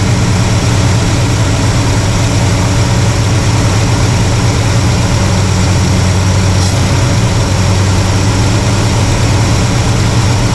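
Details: Carbureted V8 (1968 Pontiac LeMans or Chevy C10 being tuned), vacuum gauge on, no leaks seen, vacuum slightly low but in the green: deep, steady idle with an even low rumble shifting slightly in tone, no misses. Normal idle.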